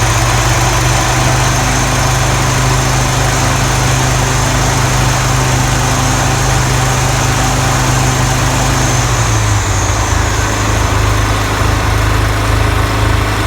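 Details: Toro TimeMaster 30-inch mower, after replacing the lower spindle ball bearings and setting deck belt tension to cure loud rubbing noises and poor blade engagement: a steady engine drone with the blades spinning smoothly and no knocking or grinding.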